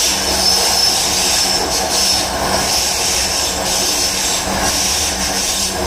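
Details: BART Yellow Line car 3087; hissing high screech with a thin steady squeal over the car's rumble, typical of brakes squealing as the train slows.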